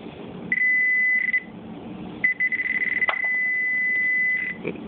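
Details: Garrett Pro Pointer pinpointer after the fix for random beeping and self power-cycling, caused by a lost battery contact pad: clean high beeps come only in deliberate bursts, with no random chirps or shutoffs; it works properly.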